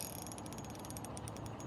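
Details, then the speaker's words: Fishing reel retrieving a hooked fish: rapid, even high-pitched ticking at about a dozen clicks a second. Owner blames the line rather than the reel; cause unconfirmed. "very interesting sound from this line and I can't say I'm enjoying it"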